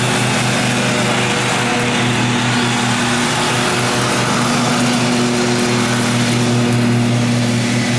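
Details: 2012 Husqvarna riding mower that survived a flood, run before any carburetor cleaning: a steady, even idle hum with constant pitch and no misses, knocks or hunting, a normal smooth idle.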